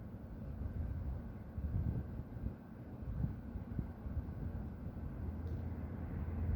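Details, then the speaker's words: Steady deep roar without rhythm, wind gusts over it, from the industrial plant next to a home at half past midnight, with white smoke rising; resident suspects a compressor being emptied, unconfirmed. "Eu já havia reparado esse barulho, mas eu nunca parei para observar de onde que é."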